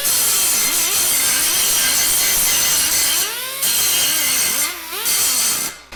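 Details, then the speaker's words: Old Allen Air pneumatic sander after repair with 4 new O-rings: high hissing grind on an aluminum weld with 24-grit disc, pitch dips when pressed then recovers; holds speed under load, previously wouldn't grind at all. "oh yeah and there we have it one restored refreshed air sander obviously that bum o-ring was the problem now it's working fine"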